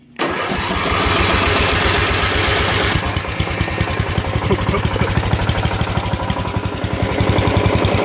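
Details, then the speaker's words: Lawn mower blowing gas back up, cranked on heavy battery current: long strained cranking about three seconds, then catches into quick rough chug around three beats a second; flooded engine clearing. "Oh yeah, that was flooded."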